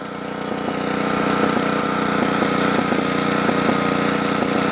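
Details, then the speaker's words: Generac model 8838-0 small-engine generator running under light load with the choke about three-quarters closed: steady running broken by intermittent pop-pop-pop, with rpm and voltage swinging up and down; the spark plug is clean and the cause is unknown. "hear that popping pop pop pop pop pop pop that's what it was doing yesterday"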